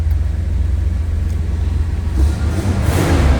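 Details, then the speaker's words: 1971 Cadillac Coupe Deville, 472 V8, odometer 13,630 (actual miles unconfirmed), complete exhaust: fires right up on cold start and settles into a deep, even fast idle with no misses, knocks or ticks; sounds healthy. "Fired right up, sounds good. Let me go ahead and slip to the back. Let's listen. Again, 472 V8 power in this one. Sounds as you'd expect."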